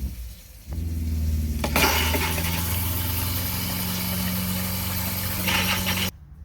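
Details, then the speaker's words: RV water pump as it comes from the factory, heard from the bathroom with the sink running; steady low hum with buzzing overtone as pump vibration carries through the structure, before fitting vinyl tubes. "it is also allowed in the bathroom due to the vibration you can hear the vibration from the water pump all the way in the bathroom the sink is still running"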